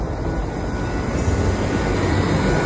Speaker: fan आवाज कर रहा है फैन एकदम स्मूथली चल रहा है